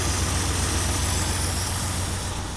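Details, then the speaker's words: Nissan 180SX Type X (S13) with an SR20DET, misfiring at idle. With coil pack 2 unplugged, the lumpy, uneven idle does not change, unlike cylinders 3 and 4, so cylinder 2 is not firing; injectors are suspected. Dead cylinder. "two is unplugged right now and nothing sounds different it's currently unplugged"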